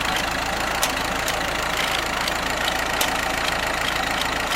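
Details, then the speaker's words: Ford tractor engine with aftermarket carburetor running slightly lean, choke held out a little, charging fine: even, steady, smooth idle with regular light patter and no knocks or misses; occasional exhaust popping noted. Normal idle. "runs super smooth charging good"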